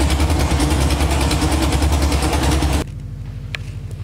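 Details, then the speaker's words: LS V8 swapped into Infiniti G35, first run after install, oil full, cooling system unfinished, fuel line temporarily clamped: loud deep lumpy burble holding a steady beat; healthy idle. "right that's going to wrap it up for this one engine's in runs oil's full"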